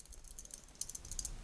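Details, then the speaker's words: Soner Momentum high-beat dress watch bracelet clasp with play and wobble, giving light irregular metallic jingling in quick bursts when moved; loose clasp rattles against the bracelet, also while walking. "jangly and rattly it is, and it's really annoying when you're walking as well, because you can just hear it rattling all the time."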